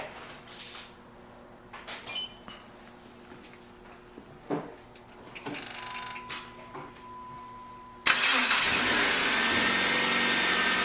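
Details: 2007 Jeep Compass started from a newly installed two-way remote starter: clicks and a short beep, then the engine catches at once and settles into a steady, even idle.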